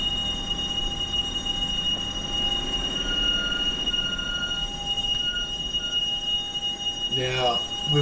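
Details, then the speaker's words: Ineos Grenadier off road, rolling on a gravel track near Mt Selwyn: thin metal-on-metal scraping and squealing tones come and go over the rolling noise, seemingly from the front brake; owner doubts a stone behind the disc guard, cause unconfirmed. "Now it was along this section before we get to Mt Selwyn that I had a moment of panic and wondered if I'd broken something. Listen for it. Sounds like a metal on metal sound."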